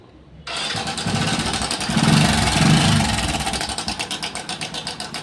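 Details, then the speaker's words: Hero Passion Pro i3s motorcycle: fires up and idles with quick steady tick-tick about three a second; worn, damaged timing chain. "भी यह आवाज आए, समझ लीजिए कि यहां टाइमिंग चेन टूट गई है। यह खराब हो गया है, इसलिए यह आवाज आ रही है।"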